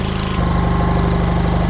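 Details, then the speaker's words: Old air compressor engine with a newly fitted electronic distributor, timing set by ear after it bucked from being slightly advanced: quick, even firing that pulls down a little as load comes on, building to 60 psi slowly. Timing still needs adjustment. "It actually don't sound too bad, but it's unloaded right now. So once I get a load on it, it might just kill it. You hear it's pulling it down a little bit."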